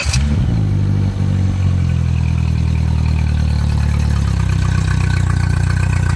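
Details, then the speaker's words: Mercury 60 HP outboard starts and settles into a steady fast idle over 900 rpm with IAC at 9% instead of 20–30%; high idle from throttle body air leak, throttle body to be replaced. "Now, this one, I'm going to start it here, is running over 900 RPM at idle, which is about 152 high."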